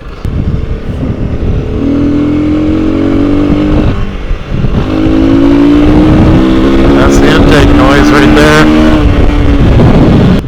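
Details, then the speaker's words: Honda CRF300L with 550 Performance v2.0 ECU tune and open airbox: throaty intake hum rises and holds steady as throttle opens, loud for a CRF300 but even, like a motocross bike; intake noise from the open airbox, nothing wrong. "It does make some noise, but if you're not on the throttle, it's not really that loud. And the noise it does make sounds kind of cool. Makes it sound like a motocross bike that has an open airbox."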